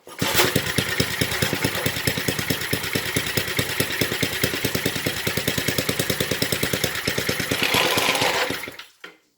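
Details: 1970s Briggs and Stratton single-cylinder rotavator engine, revived after about 3-4 years unused, full throttle: catches and runs with crisp even popping beat, revs up, then winds down; running healthy.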